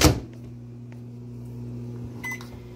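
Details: GE JVM3160RF3SS over-the-stove microwave after replacing a faulty door interlock switch that tripped the breaker, heating a cup of water for 30 seconds with the turntable rotating: a thump, then a steady, even low hum with no buzzing or arcing. It is running normally.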